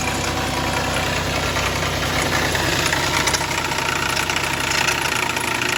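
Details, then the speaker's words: 2009 Dodge Charger SE 2.7, a no-start car from auction, idling with the cam sensor removed: rough rumble with a gritty whirring undertone from failed water pump bearings. Water drips underneath and oil is milky; a water pump replacement is planned. "The engine sounds pretty good if you can hear past the bad water pump bearings."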